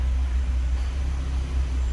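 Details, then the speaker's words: Ford EcoSport idling with AC switched on: steady low rumble as the compressor engages normally, with no squeal or grinding. The radiator fan kicks in within about 10 seconds. "já ouvi que o compressor entrou e já já ventou eles param indicando ele no computador"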